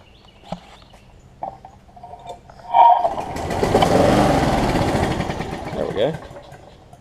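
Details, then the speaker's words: Sat-unused Scotts push mower, Briggs Quantum engine, plug checked good: after a pull it catches, runs unevenly, surging and stumbling, then dies; rough running, owner suspects carb needs cleaning, fuel leak also noted. "it will kick over and run I probably need some carb work done on it"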